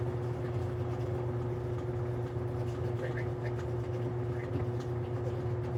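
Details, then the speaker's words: Older Maytag washing machine run with door open via bypass part on a drain cycle; steady low drain pump hum under rushing water with some clicking, draining normally. "Well, okay, now we hear the clicking sound, but we don't have to worry about that because we can now keep the door open because we have this part here."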